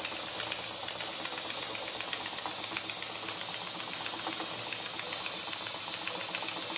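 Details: Märklin 4106 live steam engine with 6.5-inch boiler, after rebuild (new sightglass, small sightglass leak), homemade burner on ~90% grain alcohol, 10% water, slowed down a little: soft steady hiss with even chuff about four per second, smooth and regular; normal running.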